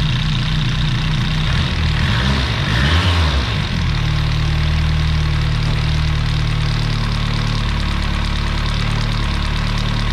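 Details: 1989 BMW M3 with original S14 engine, after replacing valve cover, spark plug and rear cylinder head panel gaskets and sealing intake vacuum fitting: catches and settles into a smooth, steady low idle with no knocking or misses; runs normally.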